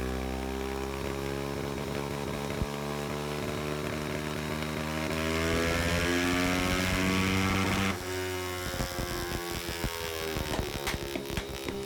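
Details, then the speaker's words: Zongshen 190 motorcycle engine on dyno, from 4000 rpm at full throttle: engine note climbs fast while drive doesn't pull with it, revs flaring ahead of road speed; clutch slipping under load, transmission gearing far too short loading the engine. "Donc là on voit l'accélération que la moto elle part, mais on entend clairement que la moto elle patine comme juste avant."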